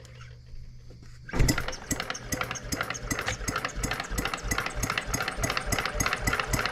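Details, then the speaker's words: Brand-new Stirling Kit hot bulb horizontal mill engine, only unboxed, restarted by hand crank after the power supply was switched off. After a quiet lead-in it catches and settles into steady, even chuffs four or five a second. Normal running. "there you go guys we've done nothing with this except un box it"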